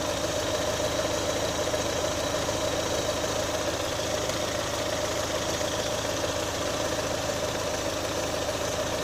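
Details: 2018 Chevrolet Onix LT 1.0, bought under 3 months ago, steady idle with loose uneven tick about eighty a minute; abnormal engine noise, owner links it to GM's quiet intake valve and lock replacement, unconfirmed.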